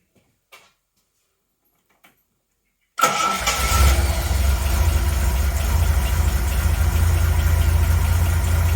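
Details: 1980 Reliant Scimitar GTE SE6A, sat a month, fuel lines still to be replaced, fed a little fuel by hand to start. Brief crank, catches at about three seconds and settles into a steady, even low idle. Normal idle.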